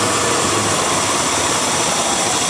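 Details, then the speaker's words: Car with a large vacuum leak simulated by pulling the intake air hose off: loud steady hiss over a weak, uneven idle nearly stalling, too much unmetered air for the computer to compensate. "you can also hear the hiss of the leak too and if I pull this completely out I can't even kill the engine"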